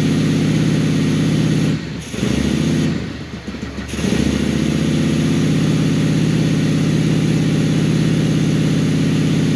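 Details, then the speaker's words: 2001 Honda Shadow VLX 600 V-twin, first start after carb clean for fuel leaking from the carburetor: short throttle dip then a steady, even idle without stumble or hunting; runs healthy before warm-up. "that's when it that's when all the headaches become worth it right there you start it up and it sounds good"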